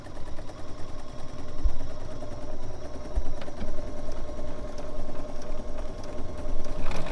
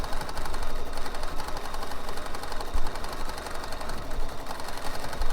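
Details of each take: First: Bernina 770 sewing machine sewing a 1/4 inch seam with foot 97D: fast, even needle chatter with a steady motor hum that picks up smoothly with speed; normal stitching. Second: Bernina embroidery machine stitching steadily with a light rattle in the rhythm, with under 8% of the bobbin thread left; the bobbin is running low.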